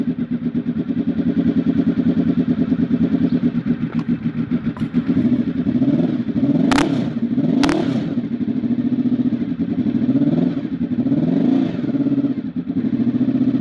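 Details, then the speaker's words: Honda RC24 V4 after a big bang firing-order conversion with no timing changes; lumpy, uneven warble at low revs rising and falling with throttle blips, compared against its normal firing sound; big bang engine sound. "so essentially you see Boyd a video of the two totally different sounds of things make like when you've converted it to the Big Bang and then the second part of it shows what it normally sounds like"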